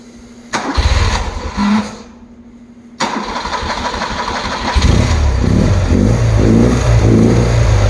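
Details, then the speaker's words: 1977 BMW R100S twin, warm start after being off about 15 minutes: a short crank burst dies, then a second crank catches at once and settles into a steady, slightly lumpy idle that keeps running. Normal warm start. "It's not a cold start. Whether it's, yeah, it's warmed up. I couldn't touch those. It's been off for about 15 minutes, but it starts and stays on relatively well, I think."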